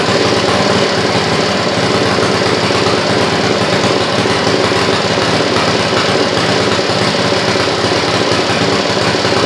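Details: Rototiller small engine after governor rod refit, idle-only carb adjustment; runs loud and hard with uneven stumbling beat, no steady rhythm. Owner suspects lots of bad gas still in it; plans to flush carburetor and tank, replace spark plug boot.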